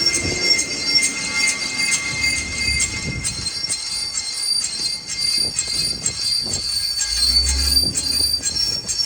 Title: Why Is this Acura Mdx Making A Screeching Noise From The Wheels? and the FIX